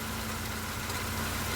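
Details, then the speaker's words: Nissan Micra petrol engine idling: steady low hum with faint dry whirring from the worn A/C compressor clutch bearing, temporarily oiled; needs a new clutch. A/C also leaks gas, condenser suspected holed. "the clutch on the aircon pump that was giving all that noise. So it needs a new clutch."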